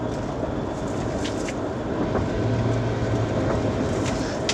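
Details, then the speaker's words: 2011 Chevy Tahoe 2WD, long-sitting, lifted with wheels turning in gear after front wheel bearings were replaced: steady loud low growl and hum from the rear differential carrier bearing. "so it's pretty loud growling sound um if you put some music you won't be able to hear it but you know we're gonna go ahead and fix that"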